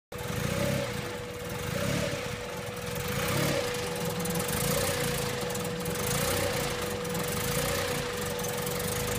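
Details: CRX with a B16A swap and a Skunk2 throttle body (IACV cleaned, no FITV): petrol idle swelling and dipping about every 1.5 seconds over a steady whine; owner suspects a misfire.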